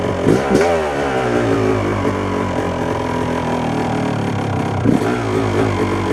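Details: 1997 Yamaha YZ250 two-stroke, warm, clutch pulled in, about eighth throttle: revs waver and break up unevenly instead of climbing; sputter appears soon after warm-up, cause unknown (owner suspects crank seal or throttle adjustment).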